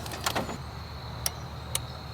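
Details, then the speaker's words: 1995 Ford F-series 7.3 Powerstroke diesel, crank-no-start after sitting two months: during scan-tool injector buzz test only module clicks are heard, no injector buzz, and the trouble code returns; injector driver module suspected, powers and grounds to be checked before replacement. "don't know if you heard that click but the module just clicked and while when it clicks the injector here should buzz and right here our trouble code just came back up"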